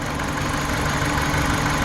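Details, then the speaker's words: 2014 Dodge Journey 4-cylinder with check engine light, shaking and rocking at idle: rough, lumpy, off-beat idle; unplugging coil 1 changes nothing, so cylinder 1 is not firing; misfire. "actually see that on camera, but the engine is kind of rocking back and forth just ever so slightly."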